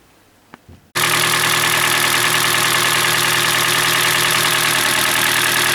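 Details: Hyundai Elantra G4NB, about 2012–2013, roughly 240,000 km, cold start: steady idle with dull knock about three times a second; piston slap, louder when hot, cause found to be scored cylinders.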